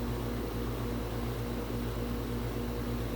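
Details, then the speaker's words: Tempstar heat pump outdoor unit on a no-heat service call, owner reporting the outside fan ran but no heat came in. Steady low hum with a smooth, even fan rush and no knocks or rattles; compressor running normally. "okay she's here so she's going to turn it back on for us looks like we've got a temp star okay i think i hear the compressor"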